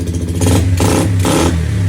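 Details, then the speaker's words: Cheap pit bike that sat uncovered in a backyard for three years, first start on choke with the carb unadjusted: small single fires on the second kick and revs cleanly in quick even blips, no misses or clatter. "Holy shit! Second kick."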